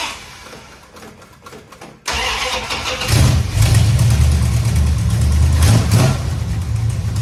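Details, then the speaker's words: 1969 Dodge Charger after power steering work, belt fitted below the fan, fluid topped up and bled with wheels off ground; engine starts and settles into steady idle with no pump whine or groan — normal power steering operation, only slight dribble at high-pressure line. "Check it out. Everything seems to be working pretty good."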